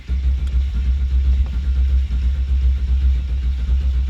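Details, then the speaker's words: Turbo Ford Fairlane build with Haltech ECU, no fuel reaching the line earlier; after repairs the starter cranks evenly and strongly without grinding, quieter, with much better battery voltage; normal healthy cranking. "Oh, we're getting heaps better battery voltage. It's a lot quieter, the starter."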